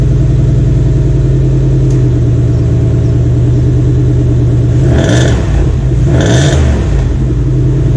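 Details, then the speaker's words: Restored 1993 Cadillac Seville 4.6L Northstar V8 after rebuild, idling, heard from the rear of the car: steady deep idle with an even beat and two brief clattery blips midway; otherwise smooth and healthy. "On va le faire tourner un peu au ralenti et voir comment il tourne."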